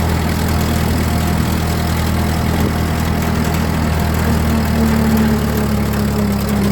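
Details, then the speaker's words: Ford tractor rolling in second gear after switching the fuel valve to reserve: steady low engine drone with a faint thin gear whine coming up over it. Normal whine for an old tractor gearbox. "we're in second gear let her roll i just love the way the gears and the transmissions on these old things whine"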